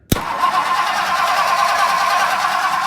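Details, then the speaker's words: 1964 Ford Country Squire after starter replacement, cranked from the relay: steady, even cranking at a quick pace with no grinding or clunking; the new starter turns the engine over cleanly. "Beautiful. Beautiful. Listen to that. As she should be."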